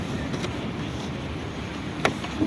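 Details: 2016 Jeep Renegade 1.8 E.torQ Evo engine running steadily with a few sharp, isolated knocks from the passenger side, traced to the worn right-side engine mount rather than the strut mount or sway-bar link.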